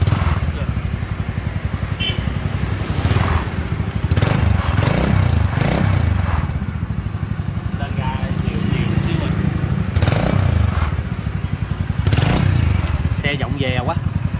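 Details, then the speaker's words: Honda Wave RS100 single-cylinder after repair, no longer seizing/sticking: it runs smoothly, swelling on gentle throttle blips and settling evenly, with some body rattle; a slight exhaust leak is still to be fixed. "Động cơ hiện đang hoạt động trơn tru rồi các bạn."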